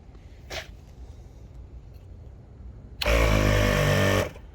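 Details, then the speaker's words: Newly installed ARB Twin on-board 12-volt air compressor under the brake booster of a 2020 Jeep Gladiator Rubicon, first run: short, even, loud buzzing that starts abruptly and stops cleanly once up to pressure; fan audible. Normal compressor operation. "we go. We're up to pressure. Check for leaks. You can hear the fan going. Looking good."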